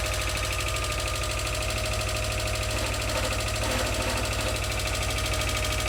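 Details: Subaru EJ22 boxer just reinstalled and restarted, in neutral, warming up: fast steady ticking about three per second over the idle, consistent with noisy valve train.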